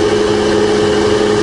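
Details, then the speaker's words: Rebuilt Bridgeport belt-drive milling machine after full service, spindle just switched to low range: smooth, even hum with a steady low tone, no knocking, rumble or grinding; the spindle runs quietly. "there we go no it's just as quiet and lower than the low gear"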